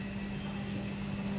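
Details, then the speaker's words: IFB front-load washing machine, 2021 model, brought in for heavy vibration, shaking and noise; after removing the support it runs smoothly with a steady, even motor hum, no thumping or rattling, spinning evenly without shaking. "देखिए, हमारी machine एकदम सही चल रही है और आप इसकी गति देख सकते हैं"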